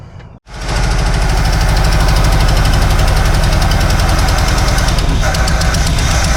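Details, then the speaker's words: 1976 Chevy K10 V8, ex-mud truck parked about 10 years, first start: loud uneven lope with unevenly spaced beats and stumbling; ignition timing suspected to be a little off, not confirmed. "It almost sounds like the timing is a little bit off. Yeah, I'd say the timer's a little bit off."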